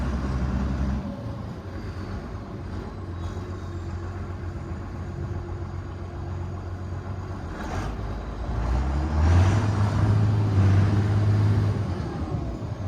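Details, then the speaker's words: 6060 tractor with loader, started with a little ether, driven off a trailer: steady, deep diesel rumble building smoothly under load, no miss or knocking; strong power, no blow-by; normal running. "It runs and drives great. It sounds great. Sounds like it has a lot of power. No blow by."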